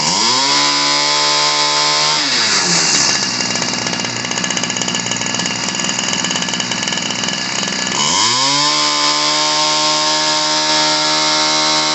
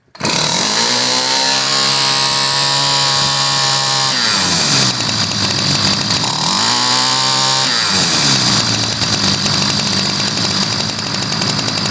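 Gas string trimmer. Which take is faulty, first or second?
second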